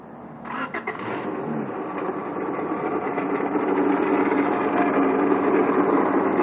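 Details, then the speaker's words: 1997 Honda Accord, engine idling after start: loud dry metallic rattle and grind from the front pulley side of the engine, traced to the water pump; bearings probably went bad. "The problem is the water pump. All that rattling and stuff you heard was the water pump. Bearings probably went bad, and that thing is just terrible, man."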